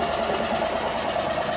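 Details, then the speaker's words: Whirlpool 18 kg washer that wouldn't spin, now spinning with the lid lock bypassed by a jumper: a thin, steady squeal over the drum's rush at full spin. The drive belt squeals, which is not considered a problem. "el chillido que tiene es por la banda, entonces eso no le prestemos atención, no hay ningún problema, esto ahorita se resuelve."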